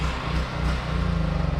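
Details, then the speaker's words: Duromax generator running out of gas: drone sags and pulses unevenly, then settles into loose chugging before it gives up and stalls from fuel starvation. "it gave up okay so i'm very pleased with this generator"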